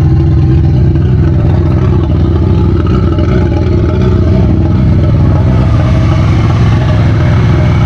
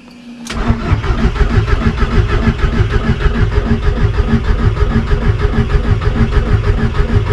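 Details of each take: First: VW Golf 1.8 turbo, first start after build with programmable ECU, after swapping reversed fuel pump hoses: engine catches and settles into steady even running, no misfire or knock, normal. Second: VW Golf 1.8 turbo, first start after a build: the engine cranks with a steady chugging pulse and the pump is heard, but it never catches. The owner believes the two fuel hoses were swapped.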